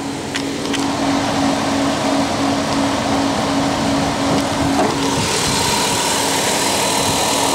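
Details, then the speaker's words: Dodge Grand Caravan at about 170,000 km (odometer also read as 117,000 km), recorded under the hood at idle, new battery: steady even idle with smooth hum, no knocks or misses; normal. "righty so obviously we haven't had a chance to go through it with a clean but at 170,000 K it's uh puring quite well"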